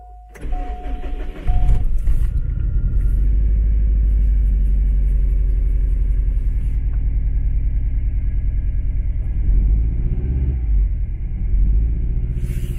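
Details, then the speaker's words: Subaru STI with dual fuel pumps, a high-horsepower tune with misfire detection off and unequal-length headers, before the coils were replaced: it starts and settles into an uneven, stumbling idle beyond the usual boxer burble; misfire, which the owner suspects is weak coil packs. "So, I know it still sounds like a Subaru. Subarus always sound broken anyway with unequal length headers, but it's totally missing something."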